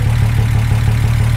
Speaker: again it sounds really all right yeah it sounds good we're not even done with it yet